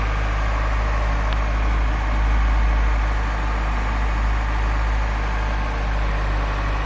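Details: Honda Prelude first cold start after 6 months of restoration, with new distributor, injector seals, radiator and exhaust: steady low rumble, slightly uneven cold idle on all cylinders, no knocks or ticks. Timing may still be out; normal cold idle.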